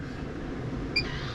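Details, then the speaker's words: MAXXair roof vent fan after motor removed, cleaned and fan refitted with Allen bolt on the shaft flat: soft steady whir with no squeak or chirp; motor spinning freely and quietly, squeak fixed. "no squeaks you love to hear it"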